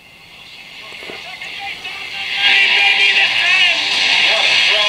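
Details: Montgomery Ward Airline 74WG-1510A AM-only tube radio, on the bench: station audio clear and bright with no hum, crackle or hiss, playing normally while the volume-controlled noise fault is absent.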